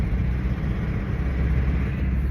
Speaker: aquela falhação começou de volta. Última vez que aconteceu isso foi a junta do cabçote.